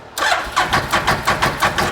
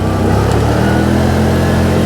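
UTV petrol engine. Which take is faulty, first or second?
first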